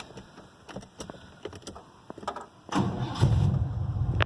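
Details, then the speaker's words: 1988 GMC Sierra with new battery, wires, starter, plugs and distributor, timing and valves not yet adjusted, no radiator fitted, exhaust leaks: a few clicks, then the engine catches quickly into a steady low rumble. Normal start. "it cranks right up, runs pretty decent."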